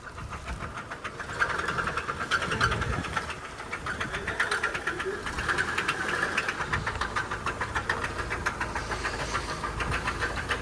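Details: Honda CR-V petrol engine, jump pack attached, idling roughly with a deep fast knocking about three or four a second; spark plugs were suggested, but it is judged rod knock in a blown engine.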